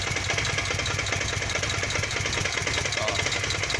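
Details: Kawasaki VN 800 Vulcan, bought a week ago, idling: steady rapid knock from the lower engine, cause unknown; persists after a service where the heads were retightened, swingarm greased and engine oil changed.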